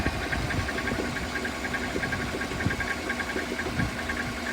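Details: Car with newly fitted mounts, idling in drive: irregular dull knocks, a few per second, thump through the idle after shifting into gear; the owner brought it in over the strange noise and the source is still unknown.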